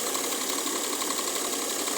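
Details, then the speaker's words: Mercedes W212 with M272 V6 at idle: a light, quick, steady clacking over a smooth idle, which the owner thinks comes from one area of the engine; the source is unclear. "Klack, klack, klack, klack, klack, klack. Ich glaube hier aus diesem Bereich."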